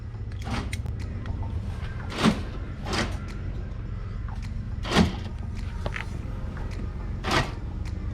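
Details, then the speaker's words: Nissan Patrol central locking after electrical repair: short whirring buzzes every two to three seconds over a low hum; the corner door actuator motor runs but none of the lock rods move. "that's annoying so the central locking button works so you can hear that corners actuator working but none of the rods are moving"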